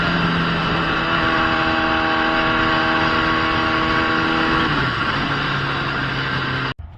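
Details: Gen 1 Kawasaki ZX10R after replacing the fuel pump and fuel filter sock: strong, clean pull with the tone climbing steadily, a quick shift, then it pulls again with no cut. The earlier fault was the sock or the pump. Normal acceleration.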